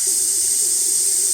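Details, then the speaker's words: VW 01P four-speed automatic valve body on/off solenoid, bench test: a steady hiss continues while the solenoid is powered, so it fails to seal. It works again after jiggling, then leaks intermittently, causing the transmission's intermittent fault. "there we go there we go you can hear that leaking that's supplied the solenoid is"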